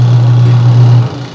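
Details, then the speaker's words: Washing machine that only hummed and would not spin, now running after the capacitor was found to be the fault; the motor was not at fault. A steady, even low motor hum for about a second before it cuts off; the motor runs normally. "So, ayan. Tetesting na natin. Tagumpay mga kuryente, umandar siya. So, hindi motor ang problema, kundi capacitor"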